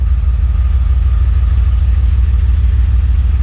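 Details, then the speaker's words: 1981 DeLorean DMC-12 at operating temperature, Weber carb nearly dialed in, curb idle just lowered: deep, even rumble with no miss, hunt or flapping, running on all six; slight smoke and a little valve-train ticking noted. "that sounds pretty good I mean I'm happy with how she's running aside from the little bits of smoke but he's running on all six"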